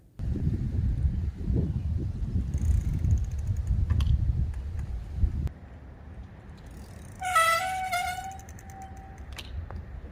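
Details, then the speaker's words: Mongoose mountain bike V-brakes (linear/direct pull) that suddenly began squealing mid-ride: wheels rumble along, then a sharp, steady two-second squeal as the brake bites. "on a bike ride the other night and just out of nowhere these things really started squealing like that."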